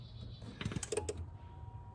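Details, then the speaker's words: 1992 Ford F-350 5.8 351 Windsor, key on, engine off, scan tool running the self-test: a handful of dry, uneven relay clicks with no engine running; normal self-test relay cycling. "You can hear some relays clicking and stuff. And it should start flashing."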